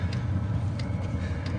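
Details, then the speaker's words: Chinese diesel heater installed in a four wheel camper, test run on low setting after replacing a leaking fuel filter: sharp ticks about every two-thirds of a second over a soft low fan drone; normal fuel pump ticking, louder at higher settings. "So it's on right now. So you can kind of hear it ticking. The fan is very low."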